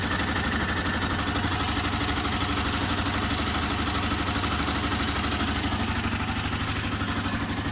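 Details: Yamaha YZF-R125 single-cylinder at idle: fast, even top-end ticking about three per second. Owner suspects the camshaft; not confirmed.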